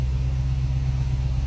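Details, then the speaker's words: 2016 Dodge Charger, first start after the repair work was finished: a deep, steady, even idle with no knocks or ticks. Normal idle. "so here you go he's running it sounds good the bad F's working oh yeah"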